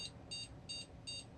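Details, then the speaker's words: PC booting with a non-working ATI X1650 Pro video card (VCore 1.31 V, before a resistor volt mod): short high beeps about three a second with nothing else running. This is the POST beep code for a failed video card. "of course you could hear the system is very unhappy because this video card does not work."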